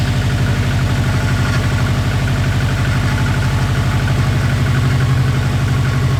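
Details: Subaru Impreza WRX rally car, engine from a crashed car of unknown health, first start after refitting a missing main relay; flat-four burbles at a steady even idle, no knocks or misses; normal idle.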